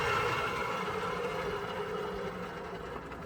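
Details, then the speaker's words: EZGO TXT golf cart after an alignment, tracking much better; thin steady squeal over the running noise, fading as it slows, suspected to be a screaming bearing on the back right side, not confirmed. "Well, it's tracking so much better, but I got a noise. Sounds like we have a bearing that is just screaming on the back right side here."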